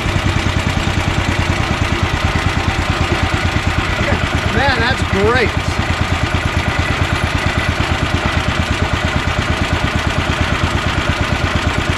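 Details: Honda GX340 single-cylinder in EZGO Workhorse golf cart repower, after verifying key start and kill switch shutoff: steady thump around three beats a second, even and unbroken. Normal idle.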